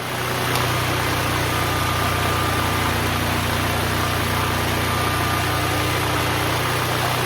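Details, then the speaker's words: Duromax XP12000EH Hybrid Elite dual-fuel 12,000 W portable generator, neglected for years, after spark plug and oil change and carburetor cleaning, under space-heater load at 59 Hz, 121 V: steady even engine drone holding constant speed, no hunting or surging; running normally under load. "Right now it's running at 59, putting out 121 volts. The generator is running good."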